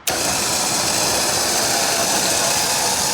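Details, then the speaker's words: Liftgator XTR liftgate after repairing a cable that came off its pulley, with a steady, even high-pitched motor hum and no grinding; normal operation restored. "So it looks like we're back in business."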